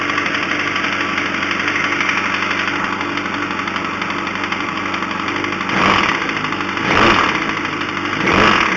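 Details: 2005 Yamaha R1: irregular deep knock at steady idle that persists through throttle blips and remained after fitting an APE manual cam chain tensioner; owner suspects a spun rod bearing.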